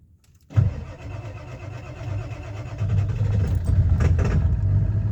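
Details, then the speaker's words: Ford 7.3 Powerstroke diesel cold start at about 50°F, not plugged in, after new glow plug relay and reconnecting glow plug harness in head: starter bites, catches almost at once, lumpy uneven clatter; easier but not perfect start. "definitely an easier start but not exactly what I would call perfect"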